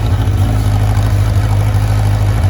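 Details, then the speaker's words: 2003 Kawasaki Z1000 fuel-injected, 3,000 km, cold start at 25–30 °C ambient: lumpy, hollow exhaust beat with cylinder #3 dead/misfiring for first 30 seconds to a minute, then smooths out once warm. "that exhaust tone is not right there's definitely something missing here"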